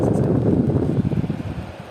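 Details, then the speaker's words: Restored scrap-found Sumo 40 W 12-inch 3-speed swing box fan, motor now spinning faster: soft, even whoosh of air gradually easing off, no bearing or grinding sound; runs quietly and healthily. "At least the color is better and it works really nice. There is not even a bearing sound or grinding sound or anything."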